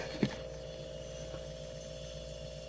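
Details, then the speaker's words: A single soft click, then a quiet, steady low hum without rattle as the compressor of a 16-year-old, once-flooded water cooler runs normally on the first try after a part replacement. "running that's all it took oh that is just brilliant"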